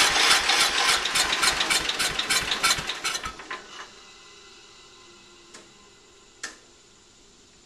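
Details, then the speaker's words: Early-1980s Ford LGT120 with Kohler K301 12 hp, new piston, weak battery: slow labouring cranking about three and a half turns a second for three seconds, dies without firing; hard start warm or cold, owner suspects valves. "it starts really hard I think we might mess some up the valves"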